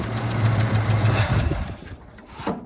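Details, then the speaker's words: 1975 Chevy C10 sitting since 2003 restarted after 18 years of storage: low, steady engine drone over a second then fades; plain start and run with no odd noises. "Can't believe it. It just started. Go again. That is insane. It's a runner."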